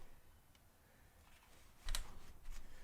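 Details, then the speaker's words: Cane Creek Kitsuma coil rear shock with 400 lb spring. A dull clunk as it extends and tops out. Owner suspects air in the damper from a poor bleed, or a design flaw; the old shock doesn't top out. "full open on the on the low speed compression still clunks add a heap of low speed compression still clunks"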